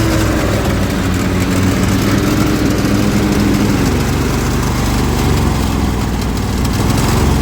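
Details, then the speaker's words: Zero-turn mower engine at low idle with blades (PTO) on, after valve adjustment: rough idle dips and recovers unevenly, spitting and losing power; both cylinders have spark, dies under drive load, cause not found. "now the blades are on and the engine is bogging down it doesn't want to stay running"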